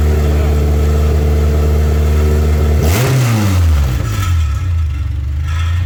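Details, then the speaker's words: K24-swapped Toyota MR2 after correcting crossed fuel pump wires that had run the pump backwards: engine starts and settles to a steady even idle, a smooth rev blip drops cleanly back, running on its own; normal start and idle. "you guys heard it run running on its own now sounds good"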